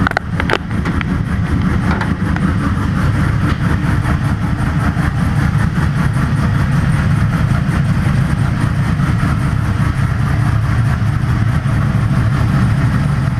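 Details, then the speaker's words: Vehicle rebuilt after an accident, test-fired with a new fuel pump and fuel system: a steady, even low engine drone with no knocks or misses. It still runs okay, with a minor fuel leak from untightened fittings. "ready sounds like she still runs okay"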